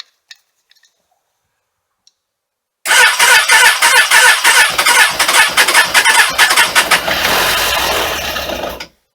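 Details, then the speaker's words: Suzuki Katana motorcycle, cold winter start after sitting, full choke, carbs primed, ballistic battery: starter cranks about three beats a second and engine begins to catch and fire; cranking, about to start. "so it sounds like the bike's trying to start here it's probably um you know just trying to get some oil up into the top of that engine"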